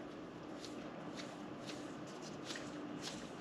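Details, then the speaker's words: High-mileage bearing from a 1953 GMC Dual Range Hydra-Matic transmission during rebuild, hand-spun: dry gritty rustle with faint hum, rasping roughly twice a second; worn out. "yeah you can hear it's kind of toast"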